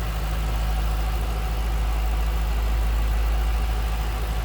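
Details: 2007 Ford Mustang Shelby GT coupe, 4.6-liter V8 with cold air intake, 5,228 original miles, hood open: deep, even burble at a steady idle speed, no ticks, knocks or misfires; healthy idle.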